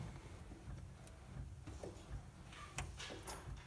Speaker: if I go all the way then it's just pulling the dampers all the way back so no squeak